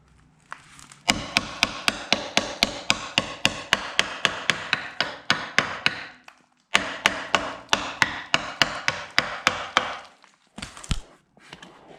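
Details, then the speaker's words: Rear subframe of a 2004 Mazda 3 winter beater, heavily surface-rusted, hammer tap test: crisp ringing clangs three to four a second, no dull thud; subframe still solid. "i mean it's not horrible as you can hear the you can still tell that the frame is definitely still solid um with me hitting it with the hammer"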